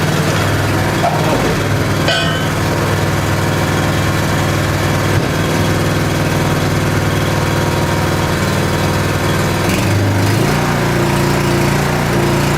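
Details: Honda small engine with 6.1 hours, unused since last spring, cold-started on choke on a cold morning; even, steady low putter with constant pitch and no misses or knocks as it warms; idling normally.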